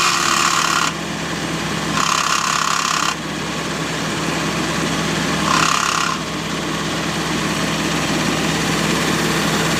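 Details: Ford GPW Jeep after engine rebuild, with new clutch disc, new throwout bearing, same pressure plate and grease-packed bearing carrier. Clutch works, but over a steady idle a harsh high rasp cuts in and out in one-second spells when the clutch pedal is pressed.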